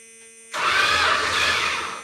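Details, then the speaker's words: 1971 Chrysler New Yorker 440, low mileage, parked 20+ years, first crank after oil priming with plugs out; brief even starter whir about 1.5 seconds, no compression chuffs; engine turns, normal cranking. "It cranks."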